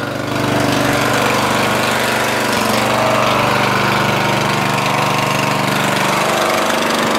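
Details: Murray 14.5hp 42-inch lawn tractor, Briggs & Stratton single-cylinder OHV, after fixing a bad ground in the ignition wiring. Steady beat about four pops a second, even and strong under load, no misses; normal running.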